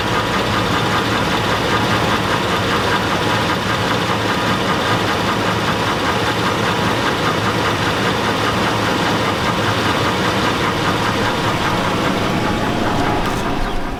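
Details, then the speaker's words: Chevrolet Avalanche pickup with broken transfer case and worn-out oil: rough idle with a fast, uneven knocking steady throughout; engine knock at idle, owner says not the flexplate, cause unknown. "is the reason why I plan to retire my truck you can hear it knocking like a 5-4"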